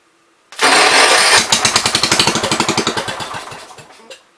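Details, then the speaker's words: 1973 John Deere 110, on gas after carb adjustment, carb not yet cleaned, plenty of fuel in the tank: catches with a burst, chugs unevenly about three seconds, then dies. It acts flooded; the carb needs cleaning. "That was on gas. Kind of acts like it's flooded, but yeah. Alright. We're gonna have to clean the carb."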